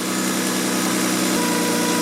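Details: Car with 230,000 miles, just after fuel filter change, idle problem previously fixed by cleaning throttle body, IAC and mass airflow sensor: steady, even idle with no stumble or surge throughout; normal idle.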